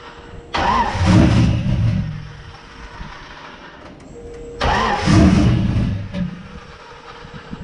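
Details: Car with a new rear radiator, wideband and fresh spark plugs: two cranking bursts of about two seconds each that never catch. Crank no-start, with the startup portion of the tune suspected.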